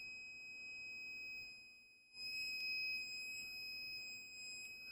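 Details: Rotax 185 ignition points set with a dial indicator at about 146.5–147 thou, lid off, checked with a buzz box: a steady high buzz that cuts out briefly and returns strong as the points open. Normal points-opening tone.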